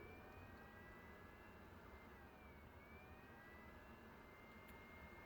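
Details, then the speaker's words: Lightspace Venus RGB 22W full-color show laser at power-up with a suspected main power supply fault: status light blinks, FP4 does not come on, and an internal fan whine sags and climbs, ramping repeatedly, probably from the supply cutting in and out. "alright, so the status light blinked. FP4 is not coming on, and get some internal fan ramping noise. That's interesting."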